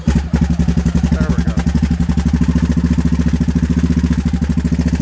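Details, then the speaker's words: Raptor 660 ATV rebuilt to 686 with new carburetors and intake spacers, warming up: strong, even single-cylinder thumping about twelve beats a second with no misses. The idle is healthy and has just been turned up a little. "see how it's just puttering the ball it's just puttering along still getting fuel built up here and i got my idle down"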